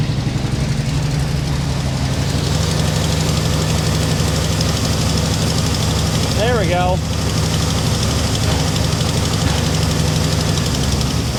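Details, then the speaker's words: Original unrestored 1961 Buick Electra 225 with 401 Nailhead V8, choke closed: uneven idle lope with occasional spits and pops; rough running, carburetor needs rebuild. "See, uh she definitely runs pretty good. It's spitting and and popping a little bit. But uh you know, this car is an original car."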